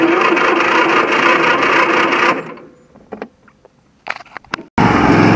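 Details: V-twin riding mower after carburetor replaced with a parts carburetor, missing bolts and ground fixed, battery jumped; runs steadily, drops to clicks and cranking, fires back up and runs evenly; starts normally.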